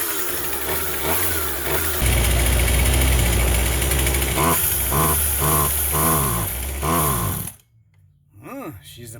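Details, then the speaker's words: Vintage Husqvarna 136 chainsaw, California emissions model: fires and runs but surges and bogs, stumbling instead of clearing out; owner first suspected carb, later found plugged muffler. "buggy she's a boggy one sorry i didn't turn the camera well did you hear how boggy it is so it probably needs a carb kit"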